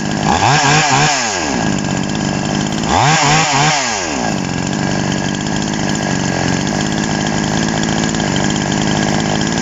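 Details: TOMITSU 5800-body two-stroke chainsaw, sprocket-gear clutch type, just after initial carburetor adjustment with a screwdriver: two crisp blips to high revs dropping back cleanly, then a steady even idle; runs healthy.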